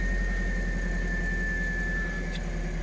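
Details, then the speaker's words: Low-mileage Toyota MR2 stood since the start of Covid, first start on half a tank of probably old fuel; steady, even low idle with smooth regular beat, no misses or knocks; normal idle. "oh there we go it's actually idling all right considering the probably crappy old fuel it's"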